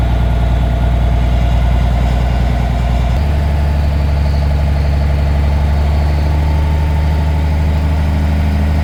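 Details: Truck diesel restarted in neutral to rebuild air pressure after re-piping the diff-lock air feed under the dashboard: deep, smooth, steady idle with one small step in tone, compressor charging toward 120 before the air dryer blows off; healthy engine.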